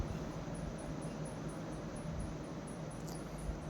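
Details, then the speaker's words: Samsung semi-automatic washing machine spin dryer after repair of a loose, off-centre spin drum: soft even low hum, no thudding or banging; runs smooth and quiet. "अब इसमें कोई problem नहीं आएगी।"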